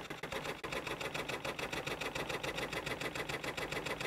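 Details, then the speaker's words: Motorised sensor bin lid run from a DC power supply: small motor whirs nonstop with steady pulsing about three to four per second, getting stuck; blamed on supply ripple interfering with the sensor, no problem on battery power. "i have figured out why there wasn't it wasn't working with the sensor because of the dc power supply it must have some sort of a ripple in there and it was creating interference and it was as you saw getting stuck"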